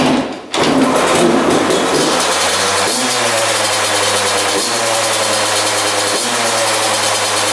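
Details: 2001 Yamaha YZ125 two-stroke after top-end rebuild, new pipe, cleaned carb: steady raised buzz that won't settle after starting; high idle, owner thinks extremely loose intake manifold bolts let it suck in air.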